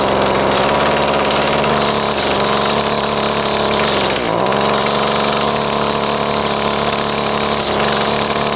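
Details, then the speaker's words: Husqvarna two-stroke string trimmer (weedeater) under repair: a high, buzzy drone holds fairly steady with one brief sag and only keeps running on choke; high/low mixture and idle settings are off, fuel starvation suspected, not confirmed. "okay so it was only running on choke right there"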